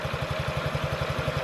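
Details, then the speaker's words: 2017 Honda Ruckus NPS50 50cc four-stroke scooter, idle set to about 1380–1420 rpm on an inductive tachometer: even putter at about eleven beats a second, no misses or rattle; a clean steady idle. "so very very small and i don't really don't know this might be very high for a scooter it doesn't sound like it to me though that sounds about right"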